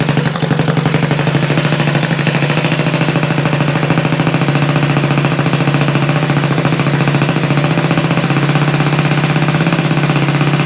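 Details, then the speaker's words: Vintage single-cylinder motorcycle rebuilt from a pile of parts, first start with no throttle cable connected, choke and idle adjusted: rapid crisp exhaust pops at fast idle, steady beat, no stumbling; running cleanly. "Whoa, that sounds good. That sounds good. Let's do it again. This thing was a pile of parts not that long ago."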